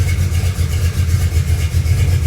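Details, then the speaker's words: 1974 Camaro, built 350 V8 with mild cam, roller rockers, headers, new exhaust with two Flowmaster Super 10 mufflers, before warm-up: deep loud burbling steady lumpy idle, no knocks or ticks; normal idle. "they're a good bit loud but it also sounds good when sitting here idling"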